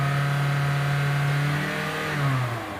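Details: Toyota Altis with a cylinder 1 misfire and poor pickup, spark plugs changed two days earlier, after repair with the flashing check light cleared: the petrol engine holds a smooth raised rev and eases down without stumble.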